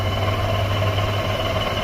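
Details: Car that came in for an oil change, idling with an uneven, lumpy beat and faint stumble; secondary ignition probe on cylinder two, coil swap moved the misfire, found a shorted ignition coil; cylinder misfire from shorted coil.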